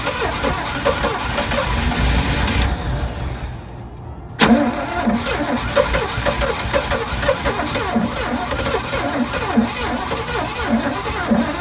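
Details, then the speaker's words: 1986 GMC Sierra in restoration, cranking after a new distributor and plug wires; long starter cranking that never fires cleanly or settles to idle, close to running but possibly flooded; cranks but won't start, owner suspects stale fuel seeped in, carb rebuild and new fuel pump planned. "I keep saying one more time. Boy, I want to hear this thing run. It's close."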